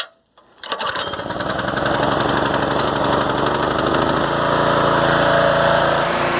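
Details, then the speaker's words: Predator 212 single-cylinder engine on a rototiller, after replacing a carburetor corroded by ethanol gas from sitting a couple of years, started on choke: steady, even putter at about four firings a second with no misses or surging; running healthy. "all right well that turned out pretty good"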